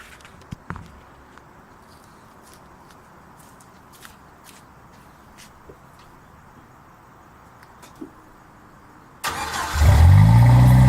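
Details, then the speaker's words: 1997 Jeep Wrangler 2.5 with new front pipe, MagnaFlow cat and Flowmaster Super 10: quiet ticking, then the engine catches and settles into a deep, even burble with no rattles or leaks; exhaust sounds healthy. "So let's see what the exhaust sounds like. I don't know how well the quality is going to be on the camera, but hopefully decent."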